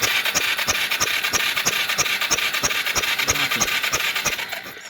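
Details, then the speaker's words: 1997 Yamaha Big Bear 4x4 ATV in neutral with the parking brake on: steady starter cranking at about three strokes a second with no firing. There is no spark. "s she just cranks and cranks till search on run the parking brake their tables gone on their neutral keys on its char but we know already that there's no spark"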